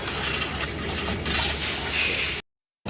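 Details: Motorcycle (Nmax) wheel spinning with disc brake pads worn out: continuous harsh metallic rasp, a disruptive "srek srek" as metal scrapes the brake disc.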